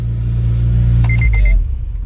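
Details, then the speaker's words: Honda Civic Si started for the first time in a few weeks after repair work, with the ECU reconnected but the intake and MAF sensor not yet hooked up (check engine light on); deep, steady rumble, then shutdown. Runs normally. "cool oh she she starts first time in a few weeks so that's a good sign"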